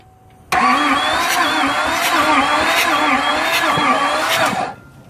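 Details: 2004 Silverado LLY Duramax diesel no-start, injectors popped out: steady even starter whirr with light wobbling beat, no firing; rocker arms move so cam and cam gear seem good; low/no compression suspected; only code is glow plug control module.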